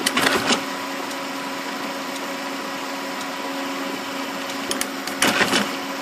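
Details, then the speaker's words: Magicolor 2400w laser printer, after cleaning the solenoids for a Service Call 15H paper-stop error: a steady mechanism hum with crisp click bursts. The solenoid clicks twice and no longer sticks to the tab; normal solenoid clicking. "See that? It clicked twice. Doesn't stick to the tab. That's it. That was what the problem was."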